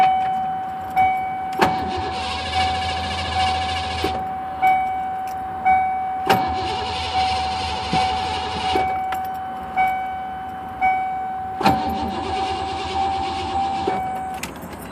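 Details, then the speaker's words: 1993 Ford Mustang LX 5.0 conversion with no spark, despite a new ignition coil, new ignition control module on the distributor and new computer, rotor turning. Repeated short cranking bursts with a chime in the background, never firing; crank no start. "okay still nothing you guys got any ideas please let me know"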